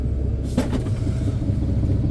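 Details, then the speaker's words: Chevy tire service truck, started after days idle in cold weather, PTO engaged driving the air compressor: steady low engine rumble with compressor running evenly underneath, pressure steadily building to about 60; compressor running normally. "oh yeah that's building there it's already up to like 60 it's steadily going"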